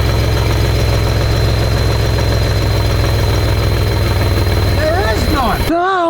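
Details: 1992 GMC Sonoma (OBD1), MAP sensor vacuum supply line broken and showing no vacuum; low steady idle drone with a slightly uneven beat: rough idle as MAP sensor sees no vacuum.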